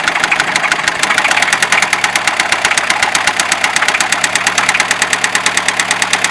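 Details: Fiat Ducato 2.5 TDI diesel; sharp, evenly spaced metallic knocks about eight per second over the idle; internal engine knock of unknown origin.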